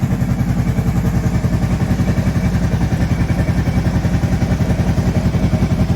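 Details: Kawasaki Prairie 650 quad ('02 or '03), just reassembled and coolant added, freshly started and warming up: steady even low thump at idle, about 3.5 beats a second, without the earlier rattling, clicking sound; normal idle.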